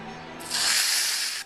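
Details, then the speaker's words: Colt Defender CO2 BB pistol, oiled CO2 cartridge being tightened in: short sharp hiss of escaping gas for about a second, cutting off cleanly; cartridge pierced and sealing properly. "So you hear that, you hear the little air escaping, and that's you got a good seal."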